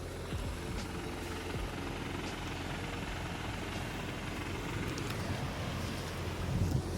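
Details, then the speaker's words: Brand-new 2023 VW GTI 40th Anniversary, six-speed manual, at idle: fast, uneven rattling chatter over the low engine hum, also audible inside the car; owner first thought engine, now believes the clutch; car going back to dealer. "so that noise right there that little chatter I thought it was the engine first but it's actually the clutch"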